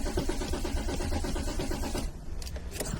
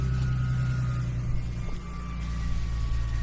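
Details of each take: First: Car cranks steadily for two seconds but never catches; pressing the fuel rail port with a screwdriver gave no fuel even after cycling the ignition, so no fuel reaches the engine: crank no start from no fuel. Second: After fitting the fuel pump, hammering the lock ring tight and securing the fuel hose with a zip tie, the car runs: steady, even low idle with a faint pump whine, no stumbles or misses; normal idle.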